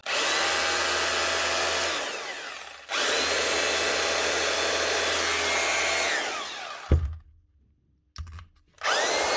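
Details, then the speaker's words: Makita HR2611F SDS drill from 2012, motor burnt by heavy use, after fitting a second-hand armature from an HR2610: strong, even motor whine at a steady pitch with clean spin-down on release; the repaired drill runs healthy. "One Makita SDS drill, a HR2611F from 2012. 12 years of work done, up and running again with a second-hand armature out of a different Makita drill."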